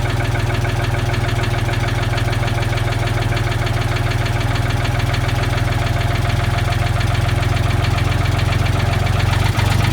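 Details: Old Ford forklift engine with updraft carburetor after patching its leaks with acid, pop rivets and epoxy: steady, even low idle, smooth unbroken rumble, no misses; idling normally and no longer leaking.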